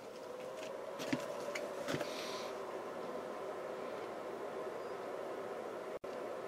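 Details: Reliable 24 V 4000 W inverter, reassembled after repair, on a limited current supply with light load: soft steady whir with a faint even hum, no rattles or scraping; cooling fan spins smoothly, inverter runs normally.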